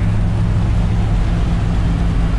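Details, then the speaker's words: RV after a new fuel pump fixed a no-power problem and a new exhaust, cruising at 50 mph on Route 66. Low, throaty exhaust drone smooth and even, no misses, knocks or surging; engine healthy. "but she's running now i'm cruising along at 50 mile an hour"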